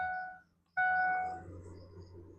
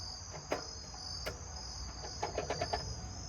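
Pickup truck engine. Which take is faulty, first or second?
first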